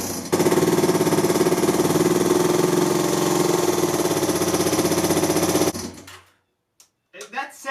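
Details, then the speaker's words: 2002 Yamaha Breeze 125 quad after rebuild for a bent valve (new valves, piston rings), starting up: steady clatter about three taps a second over the idle, then shutoff; owner suspects a dry timing chain needing oil, unconfirmed. "like the timing chain doesn't sound like it's anything mechanical it sounds like the timing chain maybe is drier for whatever reason"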